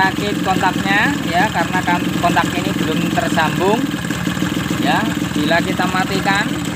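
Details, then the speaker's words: Suzuki RC two-stroke motorcycle previously hard to start with weak spark, started after ignition rework, ignition switch not yet connected; steady busy idle ticking evenly, birds chirping behind; engine firing cleanly, normal idle. "oke Ya teman-teman ini sudah nyala kita tinggal rakit"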